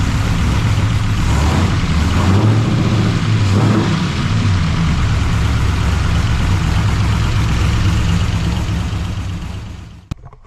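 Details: 339 stroker small-block Chevy V8 with exhaust fitted, after a Fel-Pro PermaDry oil pan gasket cured rear oil leaks, only light blips: deep even burble, steady lumpy beat, no knocks or ticks; normal idle.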